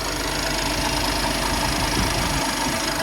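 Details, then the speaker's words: 2017 BMW X5 N55 cold start after belt, tensioner and idler pulley replacement with new spark plugs: steady idle with light quick valve tapping attributed to high mileage, expected to stop when warm; pulley whine gone. "My valve's been tapping like that. Once you get all the miles on there, they tap like that. Yeah, once it warm up, it'll stop."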